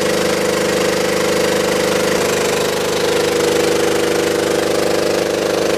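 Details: Belt-driven air compressor on a scrap-saved single-phase motor at 240 V, after the crossed capacitor wiring (start cap fitted in place of run cap) was fixed. Steady even chug at about three and a half strokes a second over a smooth hum, no knocks or squeals; current drops as oil warms.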